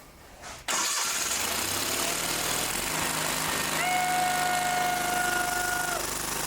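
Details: Old Simplicity tractor that wouldn't start, after tightening up and using the choke: engine catches after a brief crank and settles into a steady, even idle without stumbling or dying.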